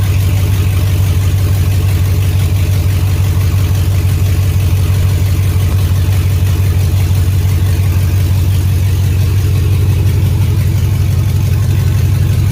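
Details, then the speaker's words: 2003 GMC Yukon Denali 6.0-liter LS V8, donor engine for a Chevy K20 swap, idling with no exhaust fitted: loud, deep, throaty, even rumble from the open pipes; engine runs clean and healthy. "I'm curious what the 6.0 sounds like with no exhaust. A lot more throatier. Boy, that sounds awesome."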